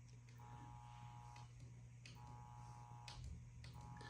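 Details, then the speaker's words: Heathkit 1144 power supply (repaired with replacement 3055 transistors) powering a Ten-Tec Omni 6 at full transmit, about 75 W out, ~20 A: steady low mains hum with tone bursts as it keys; hums under load but works. "And this thing is humming a bit, but it's working, so. You can hear it kind of humming."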